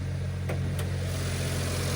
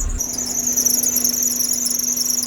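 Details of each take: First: Stock three-cylinder kei car at auction: steady, even low throaty rumble at idle with no knocks or misses; healthy. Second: Kei car at auction in Japan, caged race-style build with coilovers, at idle with hood open: steady piercing high squeal that doesn't change pitch, later went away; squeak under hood, source unclear.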